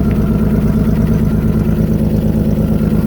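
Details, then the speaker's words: 1997 Toyota 4Runner SR5 V6, 210K miles, blown head gasket, very cold start: rough idle with quick steady puffing tick, exhaust leaking from the open hole of a hanging oxygen sensor, check engine light on. "That oxygen sensor is just hanging. So the exhaust is just leaking right out of the hole where the oxygen sensor goes."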